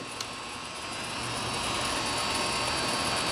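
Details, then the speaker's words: Used Hardinge TFB-H 11"x18" toolroom lathe in slow mode with the feeds engaged: a quiet, steady motor hum with no rattles or grinding. The head and feed motor sound good. "You can hear the head sounds really good. Feed motor sounds great."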